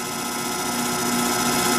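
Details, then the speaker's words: Antique Allis-Chalmers 10 HP electric motor after shaft and keyway repair (rotor had rubbed), run from a converter: smooth, steady hum, constant high tone, no knocks, rubs or scraping; runs evenly, healthy. "That's just what it should do."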